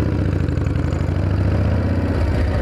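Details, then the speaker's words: 1979 Harley-Davidson FXS Shovelhead on the road at steady speed, cold weather, 70-weight oil: loud fast even valve clatter over pulsing V-twin; owner suspects bottom end overloaded by rear sprocket (thought to be 51-tooth), unconfirmed. "the valves are clattering the bottom end just has too much of a load on it with this sprocket"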